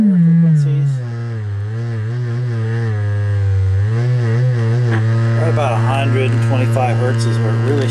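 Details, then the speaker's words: 1964 Leslie rotary speaker from a mouse-infested Conn organ: steady low tone comes out buzzy and gritty, the bass speaker distorting; popping near the voice coil suggests a rubbing voice coil or a deteriorated dust cover, not confirmed. "so something is a rabbit in there the lower frequencies so go ahead and pull the squirrel cage off and looked out the speaker and see if maybe there's some issue with it or if there's just something in there on the speaker rattling or or what"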